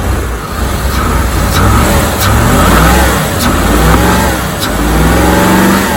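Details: 1987 Corvette C4 V8 with TPI, after replacing the mass airflow sensor: strong, even rumble rising and falling smoothly with throttle, no misfire, stumble or knock; runs properly, slight vacuum leak in runners noted.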